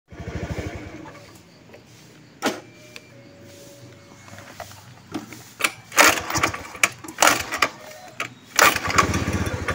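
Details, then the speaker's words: Honda Beat FI scooter runs briefly, dies, then restarts and idles roughly; fuel pump pressure measured abnormally low at 35 PSI, dropping to 30, causing misfiring and stalling. "Nah, jadi pertama-tama sebelum kita melakukan eksekusi, kita cek dulu ya untuk di bagian tekanan full pump itu ternyata di 35 PSI ya. Itu tidak normal ya, bahkan nyampe ke 30,"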